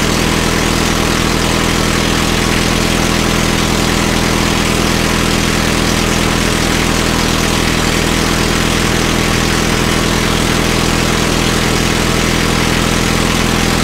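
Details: Caterpillar D2 crawler idling after first start following pinion repairs and rebuilt carburetor in starting system refurb: even, steady low beat, no knocks, misses or hunting; idles smoothly.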